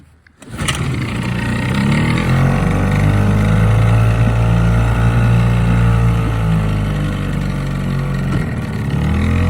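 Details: 1968 Mercury 3.9hp single-cylinder outboard on water test: fires on the first pull and settles into an even, steady buzz with no misses or surging; normal running.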